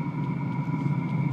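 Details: Diesel-fed heater on its first start, powered from a power station: a steady low burner rumble with a faint even whine above it and some smoke, no knocks or misfires; running normally.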